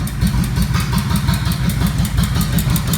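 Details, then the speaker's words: Honda Shadow 1100 after a front-cylinder knock repair (new timing chains, replaced and adjusted hydraulic lifters, carburetor service, wiring fixes): a steady loping V-twin idle with no tapping, quiet both cold and hot. "сейчас не стучит как на холодную так и на горячую все отлично"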